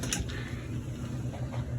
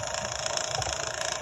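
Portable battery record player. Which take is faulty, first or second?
second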